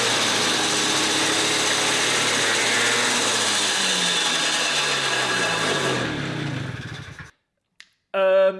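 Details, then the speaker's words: Gilera Runner 125cc two-stroke freshly swapped into a Suzuki Street Magic, just started on the first kick. Fast, buzzy note far above normal tickover, then winds down. Idle is set far too high; the carburettor and ignition are not yet set up. "Yeah, I need to set the carburetor up. It's obviously set to idle way too high."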